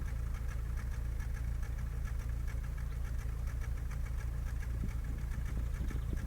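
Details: Skoda Fabia 1.4 MPI: uneven idle with a repeating stumble and light ticking about twice a second, one cylinder missing; misfire from a faulty injector on cylinder three.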